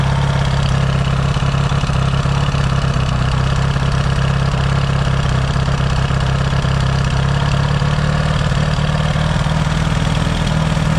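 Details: Yamaha XS650 twin, engine reinstalled after fixing its oil-burning problem, now pretty warm, points still to be properly adjusted: even steady idle with firm low beat, no misses or knocks; no smoke, healthy warm engine.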